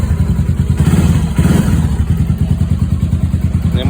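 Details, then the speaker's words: Loncin LX300GS (GP300) single-cylinder, ~6,900 km, after removing faulty decompressor mechanism that caused knocking and reassembling: quick steady idle with no tapping or knock over exhaust beat; healthy. "Як чуєте, ніякого лишнього звуку."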